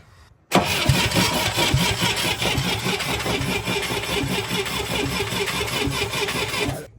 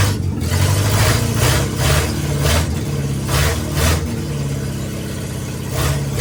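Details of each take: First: International Scout 800A, sat years in a barn, points-and-coil distributor with points cleaned and filed: about six seconds of even, free cranking without a single firing pulse; no spark, so it won't start. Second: International Scout 800A four-cylinder, first start in years after sitting in a barn, after the distributor wiring was fixed: fires and keeps going, a low steady thrum that swells and eases with small throttle blips; it's running.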